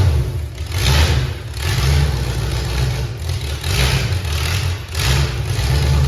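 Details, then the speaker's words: V8-swapped Pinto drag car with Holley fuel system, MSD ignition and nitrous, about 35° total timing: deep idle that surges and sags roughly every second, then smooths as the four-corner idle mixture screws are turned in; rough idle from uneven idle mixture. "I was turning in my mixture screws there it's got four corner idle mixture adjustment you notice how it was running really rough and then it quit running so rough"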